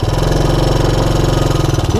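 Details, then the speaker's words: 1984 Honda ATC200ES Big Red single-cylinder ATV on a 12-volt DC CDI ignition upgrade, idle mixture screw opened about one and a half turns to fix fussy running; crisp, evenly spaced thump, no stumbling, normal idle. "normally i just open the idle mixture up one full turn and this all happened this one was a little fussier i had to give it another little more than a half a turn yeah i'm happy with it"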